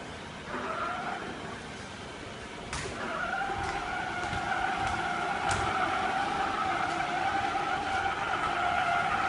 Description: Report suspected fault that machine creates loud noise